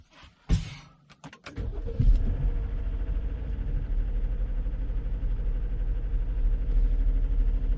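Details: 2021 Jeep Grand Cherokee 3.6L Pentastar, after upper intake removal and variable valve lift solenoid replacement for code P105c and noisy lifters, codes cleared: starter whirs briefly, engine catches and settles into smooth steady idle, no ticking or misfire.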